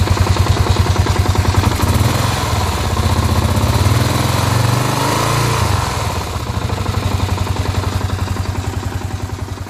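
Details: Kawasaki KLR650 single making strange noises since the winter layoff: thumping idle with a rough, regular knocking/grinding riding each beat, roughly three per second. Internal knock, source undetermined.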